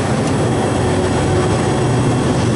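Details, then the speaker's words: Pizza shop refrigeration condenser fan, R-404A, new Ranco head pressure fan control set to cut in at 250 psi and off near 210, pressure near 218, about 50°F outside: steady even whooshing drone; normal fan running. "It's warm enough, it'll stay on. Now it's getting down near 218."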